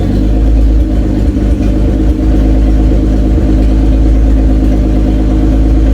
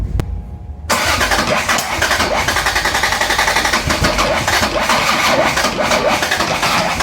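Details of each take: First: Toyota Cressida MX83, just started after engine reinstall and distributor re-timing, cold, exhaust not fully plumbed in: deep, even rumble holding steady with a slight open-exhaust rasp; oil pressure good, runs smooth. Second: Toyota Cressida MX83, first start after engine reinstall, fuel primed, low oil pressure: starter turns steadily about four times a second but never catches; fuel and spark present, intake backfires, distributor suspected out of time.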